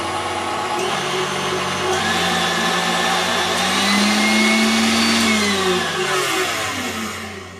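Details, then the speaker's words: KitchenAid stand mixer after regreasing to replace old smelly grease and fitting a TPU bushing under the head-height screw; it had struggled with dough and made horrible noises. Now a smooth, even motor whine with no knocking or grinding: running normally, much quieter. "I think that sounds much better."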